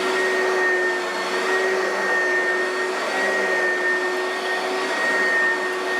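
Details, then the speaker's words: Oreck vacuum after overhaul with new used brushes still seating, tested on carpet: steady motor whine with a clear high tone and even airflow rush, no knocking or grinding; normal vacuum operation. "I want you guys hear how it runs the new used brushes they're still seating in which is to be expected nothing out of in the realm of what's supposed to happen"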